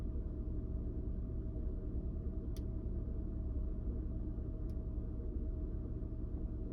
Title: 2000 Honda Odyssey - Rough Idle - RPM and O2 Sensors.